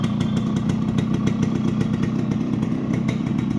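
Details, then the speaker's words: Fully restored Yamaha RX100 two-stroke after crank bearing repair, silencer check: fast, even burble at steady idle with crisp regular firing, no rattle or misfire; engine runs healthy. "ये silencer पे हाथ रखा है, और अब आप engine का sound सुन सकते हैं, यहाँ लाइव है, सारी चीज़ें क्लियर है। वो हाथ रखा हुआ है, ये साउंड सुनिए, कोई दूसरा साउंड नहीं आएगा इंजन में आपको।"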